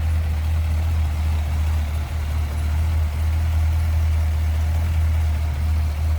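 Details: 1955 Ford Fairlane Crown Victoria V8, heard with hood open at idle: deep steady low rumble with even beat, no knocks or ticks; idles smoothly and healthy.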